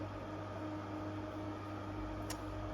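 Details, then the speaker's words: Intervent 4" white axial extractor fan, NVF100P pullcord model, 220–240 V AC, unboxed and on test: smooth, even low hum with a faint steady tone and soft airflow hiss, no rattle. It sounds the same as the Centurion. Running normally. "Yeah, this sounds exactly the same as the Centurion. Yeah, I thought it'd be lower in pitch because the two Manrose fans I had, yeah, because the two Manrose fans I unboxed and tested, they both sounded different. Both this and the Centurion sound the same."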